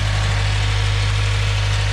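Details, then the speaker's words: 2016 Subaru WRX at idle, after greasing the clutch fork and the new throwout bearing and pumping the clutch five or six times: smooth even idle, the throwout bearing chirp gone. "listen you hear nothing no chirping uh so i started up i pumped the clutch probably about five or six times just to make sure the grease gets in uh every little looking cranny it can um and yeah the chirping is gone"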